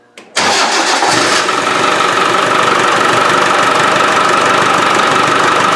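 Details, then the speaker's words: Land Rover 300Tdi diesel, after pump work fixing a squeak, intake pipe not fitted: short crank catches into a loud, hissy, rough-breathing idle, more responsive; open intake roar because the intake pipe is missing. "starts oh see got intake noise cuz I haven't got the got the PIP you see it's a lot more responsive"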